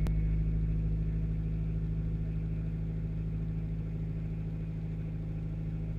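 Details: 1995 Acura Integra LS, B18B1 5-speed, AEM intake, idle around 750 rpm: odd repeating noise every few seconds under the passenger side of the hood, starting at key-on, cold or warm; ABS light on while driving; cause unknown.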